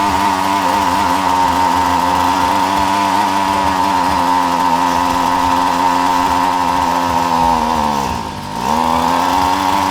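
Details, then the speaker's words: Lawn mower that starts but stalls after a while, run with the carburetor area opened up: the engine buzzes steadily, then sags as if about to die even at full throttle; owner suspects fuel supply, a flooded plug, a carburetor blockage or a clogged air filter. "có vẻ như sắp tắt đúng không, rồi nó tắt dù tôi kéo ga hết cỡ, nhưng vẫn tắt giữa chừng"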